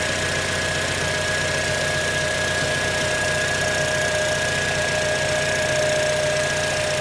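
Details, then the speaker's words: 2006 Acura TSX at idle after replacing the failed ignition coil (spark plug found good), check emission light still on: steady, smooth idle, even pulse, no stumble or shake. Normal idle, misfire fixed. "let me rev that engine. Yes! Fixed!"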